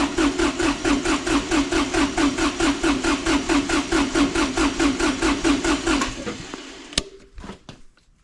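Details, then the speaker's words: Kubota D905 diesel (Lincoln Ranger 300 welder) at operating temperature, gauge in cylinder 3 glow plug hole: steady even cranking chug, no misses; cylinder 3 about 380, healthy compression. "cylinder 3 right about 380"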